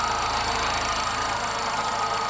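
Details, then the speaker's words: VW Golf Mk3 after head gasket replacement and fan wiring repair: smooth, even petrol idle with a steady cooling fan whoosh that engages and disengages, no knocks or misses; repair worked, normal idle with fan running. "You can probably hear the fan working. The car is finally working. My repairs did the trick and now we have a working fan, so hopefully the car is gonna be fine once again."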